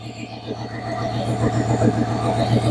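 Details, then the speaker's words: 1935 Ford deluxe sedan barn find fitted with a 302 Boss V8, restarted after sitting for decades: deep, steady V8 burble with an even low throb, no knocks or misses; healthy normal idle. "I don't know if you can hear me, but that sounds pretty nice, man."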